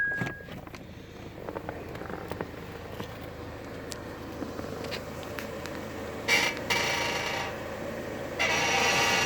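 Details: Acura TSX at idle, door open, gives irregular creaks and squeaks as the steering wheel is turned; lower ball joints and shocks were replaced, and the owner suspects the struts, where white lithium grease helped only briefly.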